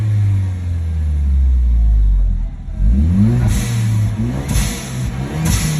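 A tone climbs in pitch with the revs as the engine pulls, then drops away and rises again with each throttle blip: a whine under acceleration.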